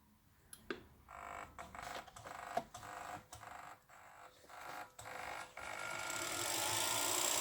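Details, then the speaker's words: Industrial welding turntable after repair of a short-circuit fault that kept tripping the supply, running forward via foot pedal with pulse-width speed control: clicks, then a steady rising motor whir. Normal motor run. "all right the industrial lazy susan lives again nice so you can probably hear it pulls him"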